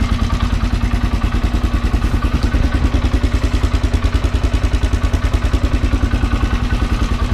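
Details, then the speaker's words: Polaris Sportsman 400 with budget 500cc big bore kit, about 200-300 miles since, idles fast with a loud metallic rattle; timing chain, tensioner and starter bendix already replaced, rattle persists, source unclear. "and you can kind of hear it rattling i've replaced timing chain timing chain tensioner that's up under there and i mean it just it just rattles but it seems to keep going"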